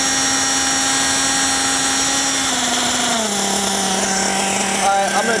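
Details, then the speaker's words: Nitro RC buggy engine with low-speed needle deliberately leaned out; high revving whine drops in pitch and turns rattly and uneven as the engine pings from the lean low-speed mixture. "all right just to give you guys that example again I'm going to lean it out and listen to that engine listen to that engine uh start pinging like right now"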